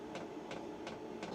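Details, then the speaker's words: Mudiro 8 kW 12 V diesel parking heater, first start in a workshop: blower rush steadily getting louder, taking air in the back and blowing out the front, with sharp even pump ticks nearly three a second; a normal start-up, warm air follows. "it's getting noisier it's taking air in the back it's blowing air out of the front pumping noise is getting louder and louder actually sounds like it's an airplane going to take up"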